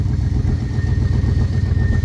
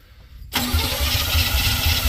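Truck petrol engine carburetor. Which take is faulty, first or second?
second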